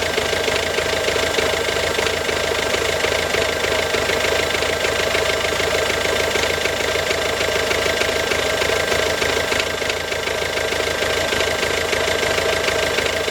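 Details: Ford Focus C-Max 2007, 1.6 TDCi 90HP diesel at steady idle: hard, regular metallic knock around three per second over the diesel clatter; abnormal engine knock, source undetermined.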